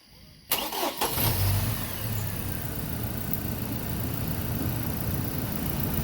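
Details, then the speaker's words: 2009 Chevy Colorado 2.9 after fixing a rough idle and poor low-rpm running tied to a sloppy, moving intake: quick crank, then a steady, even low idle with no stumble or hunting; now runs smooth. "yeah as you can see it's it's very smooth"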